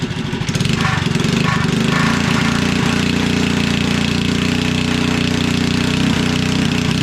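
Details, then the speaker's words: REO Trikeabout single-cylinder engine, no muffler yet, running again after refuelling (rough running was an empty gas tank), before setting RPM with a tachometer: steady, even beat at constant speed with no misses or surging; normal running. "So I put some gas in it, and there we are going again."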